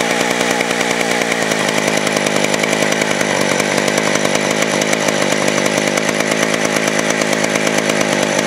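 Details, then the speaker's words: Vintage West German STIHL 041AV 61cc two-stroke chainsaw, sat a year with stuck rings freed, runs loud with a rapid, even buzz at part throttle while cutting; smokes heavily but runs strongly. "it smokes really bad guys so here we go I'm going to fire it up um you guys show you how how it runs it is [ __ ] loud like crazy"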